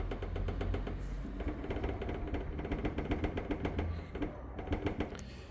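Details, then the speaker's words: 2011 Dodge Journey SXT, engine idling, hood closed: quick uneven metallic knocks as the hood shifts on loose adjustable bumper stops; rattle first thought behind dashboard; fix by adjusting stops half a turn. "ber one if they are too loose what will happen is when you close your hood and you try sorry now it's closed well when you when you try to move it it shouldn't make any sound"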